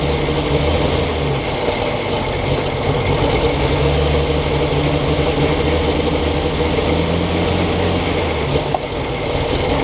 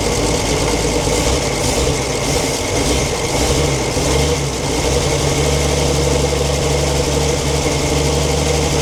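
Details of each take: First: 1942 Chevrolet Blitz CMP 4WD truck, 216 six-cylinder petrol with Carter carburetor, gravity-fed fuel after sitting for years: idles loud and fairly steady with a low, even chug, no knocking or grinding; running normally after storage. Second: 1942 Chevrolet Blitz CMP 4WD truck, 216 petrol straight-six, sat for years: steady idle with rough grinding hum over the six-cylinder beat; owner points out water pump noise, engine later boils and pump seems not pumping.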